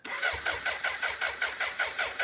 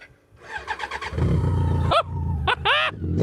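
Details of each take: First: BMW K100 cafe racer left outside and in a barn for about three years, on a jump pack: fuel pump whirs as if sucking grit, then even starter churning about five strokes a second, quickening, not yet firing. Cranking, no start. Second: BMW K100 cafe racer stored about three years in a garden and barn, on a jump pack: quick starter cranking for about half a second, then it catches and settles into a steady, even idle despite fuel dripping from the tank. Starts after storage.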